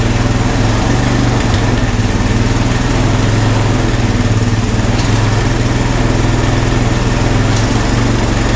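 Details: Honda ATV found at a yard sale, revived with no parts after checking spark and compression and adding fuel: even, steady single-cylinder putter with no knocks or misses; smooth, healthy running.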